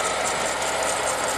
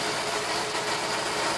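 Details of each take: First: Holden LS2 V8 (Club Sport) idling: rough gritty grinding rasp from a worn water pump bearing, with green coolant leaking from behind the pump; pump replaced. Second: Holden LS2 V8 idling after water pump replacement: a steady, even hum with no grinding or knocking. The earlier grinding is gone, confirming the failed water pump.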